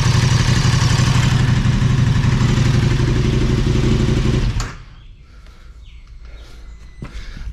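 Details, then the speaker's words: KTM 1290 Super Adventure S at nearly 20,000 km, restarted after topping up Castrol 10W-50 synthetic oil with a new KTM filter: twin idles with a strong, regular lumpy beat, no rattles, then switched off; sounds healthy. "we'll give it another start up and see what the oil levels sitting up so here we go again ignition on"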